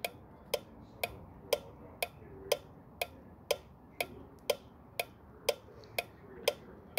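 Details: 2000 Ford F-350 with 6.8 V10 gasoline engine, cranks but won't start with a fuel pressure problem: five-pin relay on a bench tester with crisp single clicks about once a second; relay passed, switching cleanly.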